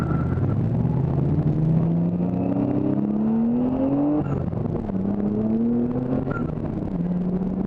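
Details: Drift car during competition runs: revving engine pitch climbs and drops with a ragged, uneven pulse instead of smooth power; misfiring under load.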